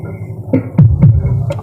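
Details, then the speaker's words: Sakura AV757 integrated amplifier after repair of the distorted channel: deep bass thumps come through full and clean with no crackle or breakup; channel now normal and even with the other. "na siya basag dito normal na pantay na"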